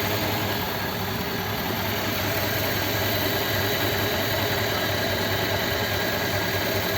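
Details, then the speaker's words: Rebuilt 239 Ford flathead V8 (59A), fully warm, air filter off: even idle with loud airy intake hiss from open carburetor, no knocks or misses; slowed down a little, runs nicely, oil pressure about 12. "that's fully warm there you know with the air filter on you wouldn't hear that carb nice about to slow it down a little bit foreign there nice just a nice old flattened 239"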